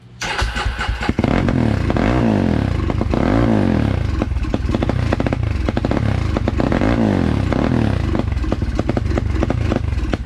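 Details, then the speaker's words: 2003 Polaris Predator single-cylinder after reassembly with new fuel line, filter and spark plug, first fire-up: catches and revs in lumpy, uneven surges, loading up; flooded, wet exhaust, running very rich. "Pretty wet. You smell how rich that thing is? Saturated."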